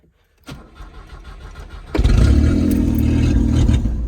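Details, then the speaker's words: Subaru Justy, carbureted, true cold start at about 30°F after sitting outside two weeks in rain and snow, fresh gas, first try: the starter turns the engine over steadily but it never catches; it starts on the third try. Cranks but no start. "First try, turns over. Didn't start running. It's cold."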